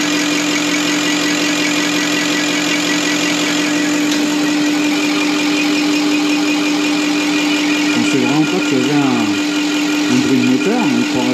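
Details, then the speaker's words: Deutz V8 diesel injection pump from the MAN Kat truck, which could only reach 50 km/h, run on a test bench after cleaning and full dismantling: steady even hum with a constant drone and fine rapid ticking, like an engine idling, running normally. "voici la pompe. on dirait vraiment un moteur v8 qui tourne là."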